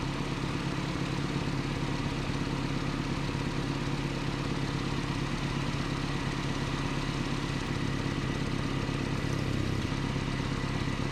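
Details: 1988 Nissan D21 truck, 2.4L Z24 four-cylinder: steady low idle with an even beat and no stumble or surge over eleven seconds.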